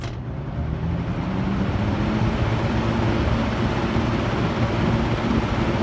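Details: Mid-1970s EXL 7-bladed box fan, cleaned, motor washed and oiled, faulty switch replaced, on high: even, steady whoosh and low hum with no ticking, scraping or wobble. Normal fan running.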